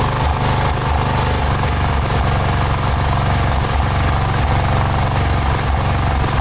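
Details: Cub Cadet 1106 riding lawn tractor (1987; listed as 1986), sat over 4 years, bottom carburetor adjustment screw ineffective: loud single-cylinder engine with an uneven, lumpy beat and irregular misses, not yet settling to clean idle. Rough running; old fuel pulled through fuel line suspected.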